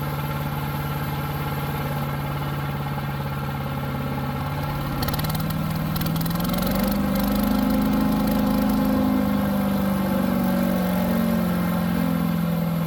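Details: New Harbor Freight Predator 212 chipper shredder engine that had only run on choke, after fresh oil and fix; holds a steady even note, rises smoothly and settles, running clean without hunting or surging.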